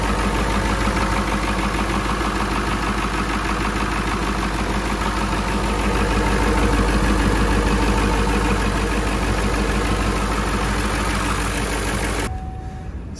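Even, steady diesel clatter with a firm low rumble and no misses or stumbles; a healthy cold idle on this diesel.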